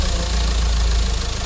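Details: Mahindra XUV500 diesel after an engine overhaul for a tak-tak knock caused by coolant-leak overheating, idling before a test drive: steady, even low firing beat with no stray knock; normal idle.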